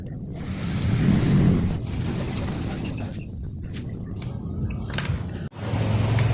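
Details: Yamaha FZS v2: engine revs up and settles to a smooth, low, even drone with no rattle on top; sounds healthy.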